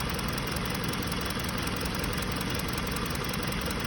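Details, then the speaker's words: 2020 Hyundai Sonata with check engine light idling at steady rpm with an uneven, lumpy beat and shaking: cylinder 2 misfire (P0302); spark plug and coil check OK, and the injector signal is being checked on a scope. "والمحرك بضل بيهتز، فيها مسفير، الار بي ام هنا ثابت زي ما شايفين."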